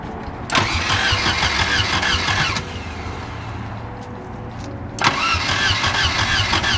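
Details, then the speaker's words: 1978 Volvo 242 that sat about two years, ignition coil just repaired, cranked with starter spray into the intake: two short bursts catch and roar a couple of seconds then sag and die; has spark, apparently no fuel. "Oh, it's got spark, it's got, and that probably doesn't have fuel."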